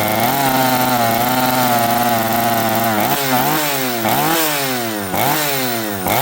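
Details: Chainsaw with carburetor metering lever set too high: revs up in repeated blips that sag and burble instead of clearing, spitting fuel from the muffler joint and flooding the air horn; over-rich bogging.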